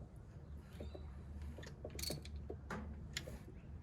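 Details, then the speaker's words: Subaru GC8 EJ207 STi shortblock turned over with intake manifold removed, heard at the open intake ports: irregular light clicks over a low rumble while cranking; cause not confirmed. "When I pulled off the manifold, okay, I've got a socket, and when the engine was turning, you could hear a clicking sound."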